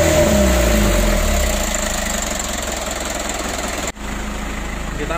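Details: Ragasa 120 PS diesel after repair of a leaking injector nozzle seat (old Dextone glue removed): steady, even idle around four beats a second, no puffing or hiss from the injector seat; leak fixed.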